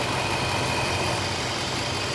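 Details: Infiniti FX engine idling after replacing the howling passenger-side fan module: steady, even idle with soft low rumble and gentle fan hiss, the vacuum-cleaner-like howl gone.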